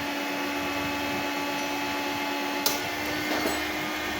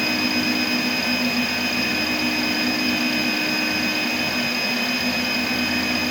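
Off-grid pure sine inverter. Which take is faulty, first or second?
second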